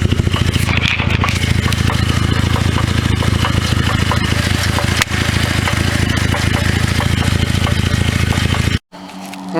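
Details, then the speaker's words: 2009 Cadillac CTS 3.6L LY7 RWD with 6L50E transmission at idle: steady rapid knocking about two per second, a bit uneven, loudest through the transmission inspection cover, not consistent enough for rod knock; flexplate knock, perimeter likely separated from the plate. "just does not sound consistent enough to be a rod knock i think that emissions some emissions sensor clacking away"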